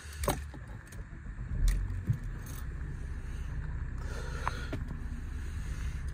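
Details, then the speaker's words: 2010 Mercedes E350 CDI Sport convertible, 3.0 V6 turbo diesel, 7-speed automatic, 101k miles: keys rattle, short crank, then settles within seconds into a nice even, gruff diesel idle with no clatter; normal start-up. "Startup sequence, as you can see, nice even idle. I don't know how well that sound transmits onto the video, but it's a sweet sounding engine. You can still tell it's a diesel, but it doesn't have any clatter to it."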